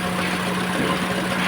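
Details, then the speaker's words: Maruti Suzuki Celerio petrol engine idling roughly, shaking with uneven beat; check engine light on, code P0301 cylinder 1 misfire plus catalytic converter sensor code. "इसमें missing problem थी दोस्तों आपको दिखाते हैं दोस्तों आप देख सकते हैं इंजन कितना कंपन कर रहा"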